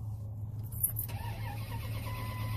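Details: 1998 Dodge Ram 1500 after crank sensor replacement: low, even starter churning with no firing; crank-no-start, no crank RPM signal though 5-volt reference present, ASD relay issue and SCI bus being investigated, cause not yet found.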